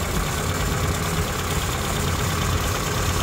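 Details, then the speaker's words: Suzuki Samurai engine idling with timing light on, distributor rotated to set timing at 10°: idle rises and falls with distributor, steady even firing, light ticking; normal idle. "so if I rotate the distributor you can see the timing mark moving and you can also hear the engine revving up or or toning down idling down to where it wants to die or running higher"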